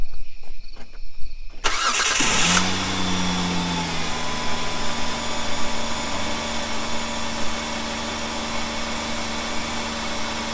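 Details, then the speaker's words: 2005 Hyundai Sonata after new coil packs replaced ones leaking spark: cranks, catches quickly, settles into a smooth steady idle with even low hum, no stumble; idling nicely. "Really nicely. Huh? It's idling really nicely. Sounds like it's doing pretty good."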